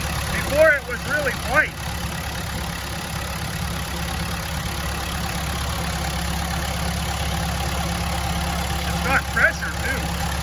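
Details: Telehandler diesel with a stalling fuel problem, after lift pump cleaning and all-new fuel lines, checking return flow. Steady, even low idle with no misses or knocks, just brief handling clanks: normal idle.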